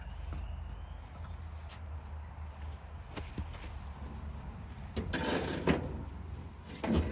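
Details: 1938 Dodge truck, sitting 50+ years, running again after ignition wires were fixed: low, even rumble idling slightly fast with clunks over it; idle set a little high.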